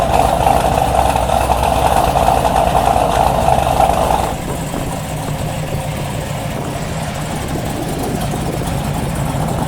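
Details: 1973 Corvette big block V8 with a newly fitted mini starter to stop heat soak: a fast even rumble settles to a steadier, lower idle with no starter noise; normal idle.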